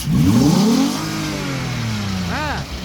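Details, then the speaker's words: Kia Carnival 3.3 L V6 petrol engine being fitted to a Gazel, throttle blip: revs rise smoothly and settle back to an even idle with no knocks or stumble; normal revving. "Bu motorimiz Kia Carnival'ni 3.3 litrli 6 silindr 6 porshinli motori."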